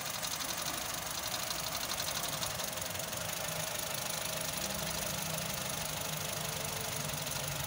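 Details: Honda City i-VTEC idle with faint stumbling unevenness under busy ticking top end; misfire from bad coil pack.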